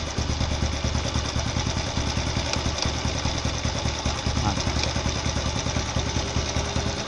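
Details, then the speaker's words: 110cc motorcycle carburetor with air screw turned in a quarter turn from one and a half turns for economy: idle hunts with an uneven, stumbling beat instead of a steady putter; too lean. "hasilnya seperti ini perhatikan suaranya e terdengar seperti tidak stabil"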